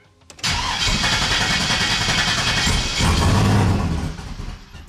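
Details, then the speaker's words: Turbo truck with new, untuned camshaft, first start in a week: cranks and catches, then a loping, uneven idle with lumpy low-end pulses from the untuned cam. "the new cam in there and that's not tuned yet, so it's still gonna run a little rough, but at least now it'll idle."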